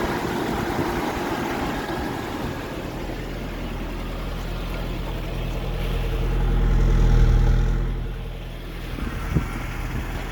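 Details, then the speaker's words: 1989 Nissan D21 pickup 4x4, four-cylinder (not V6) with manual 5-speed, just started cold: very quiet, steady low idle pulsing and swelling slightly then settling; owner says these get a little noisier once warm. Healthy normal idle. "I'll start it up. Right. Very quiet. Usually after they warm up, they get a little noisier."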